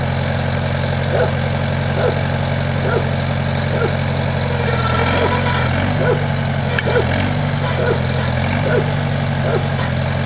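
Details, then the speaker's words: 1978 International Harvester Cub tractor with a key start: an even, steady idle putter with a constant low drone and no knocking or stumbling, with good oil pressure; it runs well and doesn't smoke. "nice good oil pressure yep"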